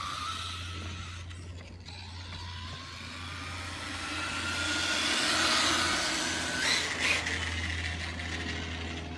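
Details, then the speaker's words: DHK Maximus 1/8 scale brushless RC truck after replacing front differential gearbox, test run on driveway in 91°F heat: even electric whine rising and falling with speed, gears mesh smoothly with no clicking or grinding; normal drivetrain running. "And if I bash this thing, it's probably gonna overheat and something's gonna melt. Sounds really smooth."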